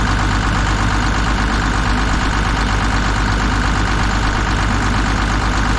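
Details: Kobelco SK250 excavator, believed 2006, diesel, just started after repairs; even steady low idle, no stumble or missing beat, warming up; sounds far better than before, normal idle.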